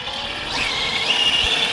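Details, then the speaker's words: Rovan F5 RC car on 12S with a Poseidon 600Kv motor and a 300A ESC, in 106°F heat, at full throttle: a high whine sweeps up sharply with no matching pull as all four tyres balloon and spin; wheelspin whine. "so while i'm giving it full throttle and i hear that whining noise the winding noise is actually all four tires spinning major problem"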